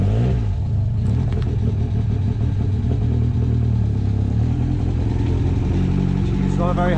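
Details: Ford Sierra RS Cosworth first start after years sitting unmoved, previously non-working fuel pump now running, over-revving a bit: loud deep uneven lumpy running with no smooth idle; rough running.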